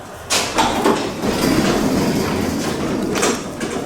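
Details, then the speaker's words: 48-year-old wooden garage door after all six worn hinges (rollers falling out) were replaced: steady rolling rumble with only a few light knocks, no heavy bangs; much quieter, though some creaking remains. "So quiet. Yeah, let's give it a lift. So much quieter."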